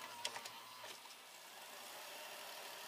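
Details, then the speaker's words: Toshiba AH-350 Betamax VCR (Beta II/III) fast-forwarding after its belts and a roller were replaced: a few light clicks as the mechanism engages, then a smooth, even high whir of tape winding fast with no slipping. Normal fast forward. "look at that rewinds and fast forwards like a dream"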